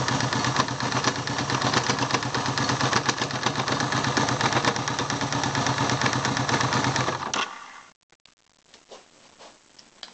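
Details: 1978 Yamaha XS750 motorcycle engine running with a steady metallic clatter and whir over the exhaust until shut off; gear noise, cause unknown.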